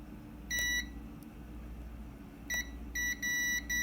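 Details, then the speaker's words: Kärcher WD 1 vacuum cleaner that won't power on, continuity check after soldering a terminal: the tester gives short, broken beeps cutting in and out instead of a steady tone, so the terminal connection is still faulty. "lo estoy pegando y por momentos hace contacto y por momentos no eso quiere decir que aún tiene un fallo"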